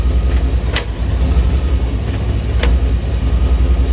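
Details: 1995 Chevy OBS truck idling smoothly with two sharp, isolated clunks about two seconds apart; owner asks for help, and the cause of the clunk is not identified.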